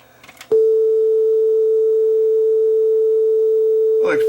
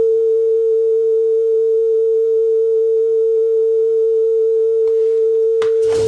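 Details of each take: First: Sony TC-W32 dual cassette deck, after repair and belt replacement, B deck playing: one clean, steady test tone holds its pitch without wavering or warble for several seconds; tape speed stable and correct. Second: Sony TC-W32 dual cassette deck after new belts: a steady test tone on the A deck wavers slightly in pitch, then handling clatter. Flutter on the A deck, which sounds poor, while the B deck plays fine.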